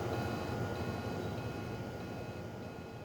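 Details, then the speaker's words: A physically hit hard drive that won't mount buzzes low and steady with faint thin tones and no spin-up at power-on; its heads are stuck on the platter, so it never reaches a ready state. "the customer said that the computer was hit driving side is not able to mount to be seen by the computer Drive makes a buzzing sound when power it on"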